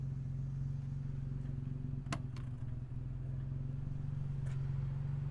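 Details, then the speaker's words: 1959 Jaguar XK150S Roadster, 3.4-litre, mechanically quiet; quiet smooth even low hum at idle, "purring away", a couple of nearby clicks; normal idle. "There we go, purring away."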